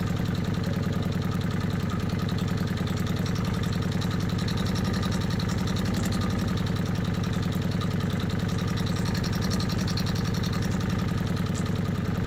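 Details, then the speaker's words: Kawasaki Vulcan 750 at a warm idle with manual cam chain tensioner main bolt loosened one and a half turns from its set point: quick, regular metallic clanking about three per second; slack cam chain from a loose tensioner. "I put the main nut back to its starting point and what you heard on the video was one and a half turns loose from this starting point that's when the clanking started"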